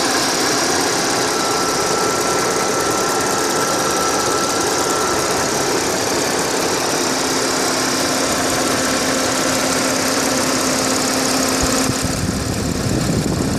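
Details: Audi A6 4F 3.0 TFSI at standstill idle, phone microphone above the engine: busy even idle with fine rapid ticking over the engine hum; ticking from the engine top, cause unknown.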